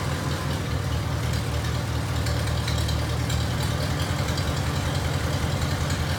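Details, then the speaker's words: 1949 Farmall Cub, long abandoned, after head carbon cleaning and radiator refill, rerun to clear smoke: low steady even idle thump with no misses or knocks; running smoothly. "all right y'all we got it run it now pretty good ramp about 15 cleared out"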